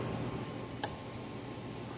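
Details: Gallagher B1600 fence charger after repair, on the full power setting under about a 100-ohm test load, around 8 joules output. Two sharp snapping ticks about a second apart over room hum; normal pulsing under load.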